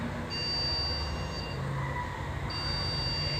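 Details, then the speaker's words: PC won't boot, giving repeated long high piercing beeps over fan hum; caused by dust on the RAM. "So మెయిన్గా ఈ problem RAM వల్ల వస్తుంది. So RAM మీద dust కానీ అలాంటివి ఉన్నప్పుడు సిస్టమ్ అనేది ఓపెన్ అవ్వదు."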